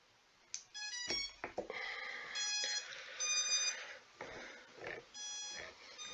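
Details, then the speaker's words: Skystars 4-inch long-range quadcopter on battery plug-in during Betaflight setup: repeated high-pitched ESC chirps in irregular bursts while one motor turns by itself. "of the motors is turning all by itself and it does keep beeping it's really weird"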